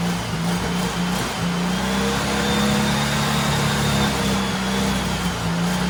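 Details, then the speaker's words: Turbo rat rod Porsche 930 on a new carb, reaching about 8-9 psi boost: strong low drone rising and falling smoothly with throttle blips, clean with no knocks or misses, though a fuel issue remains. Normal revving. "oh my god i'm so happy that [ __ ] thing sounds awesome"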